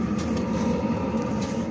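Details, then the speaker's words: Diesel air heater installed for house heating, on a test run at setting 21°, three bars; steady hum with low drone and fan whir, no surging or knocking; kitchen warming, normal running. "um seems to be running okay uh temperature's going up in the"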